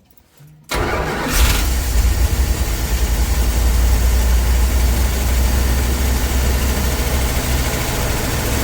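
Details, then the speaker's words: 1965 Dodge van sitting for years, running on old varnished fuel with manual fuel pressure regulator cranked to max: brief crank, catches and settles into steady, even low idle with no misses or knocks; it smoked heavily. "It seems to run pretty decent."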